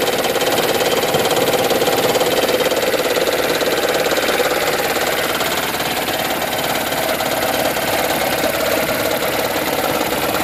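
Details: 2010 Toyota Prius idling with AC on: intermittent dull, uneven knock under a hissy, rattly engine-bay sound, starting and stopping with HV battery charging; also reproducible at 7–30 mph under heavier load, not at higher RPM.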